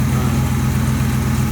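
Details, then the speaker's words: Barn-find 1967 Chevy El Camino, L34 396 big block, after 21 years parked, now running on fresh fuel with a new battery, points and condenser: an even, throaty idle with no lifter rattle or rod knock. The fuel pump is quiet and the alternator a little noisy. "no lift or rattle though no rod knock fuel pump's quiet alternator's a little noisy"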